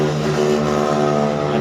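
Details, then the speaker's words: Indoor AC fan motor (fitted with a 0.9 µF capacitor) runs with a steady, rough growling hum and slightly wobbly rotation; disassembly showed the bearing had come loose inside, worn fan motor bearing. "Nah kita bisa lihat di sini untuk putarannya ini agak goyang pokoknya kalau lihat ini agak goyang kalau lihat sekilas dari video Emang tidak terlalu goyang tapi kalau lihat secara langsung ini goyang dan putarannya di sini agak ngorong"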